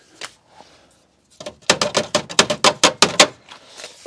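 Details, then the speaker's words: Nissan Primera P12 running, heard from underneath: quick run of sharp, tinny metal clatters about six per second from the exhaust heat shield, which fell out of place after its bolt dropped off. "right today we're in the Nissan Primera p12 and the problem is that the heat shield above the exhaust has fallen out of place because of that bolt so there's a very irritating loud and consistent rattling noise underneath the car"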